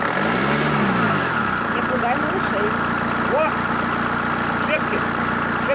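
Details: ZMZ-514 Euro 2 turbodiesel after repair for knocking, head refitted: brief rev drops away, then settles into a steady, even idle hum with no knock.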